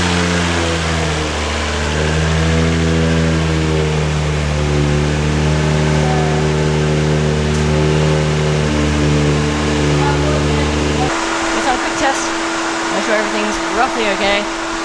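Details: R32 Nissan Skyline swapped from RB20 to an HKS-built 1JZ with T3G twin turbos, first start, drive-by-wire throttle run from a computer: steady, even idle with clean blips that rise and settle smoothly, no knocks or misses; the engine runs healthy.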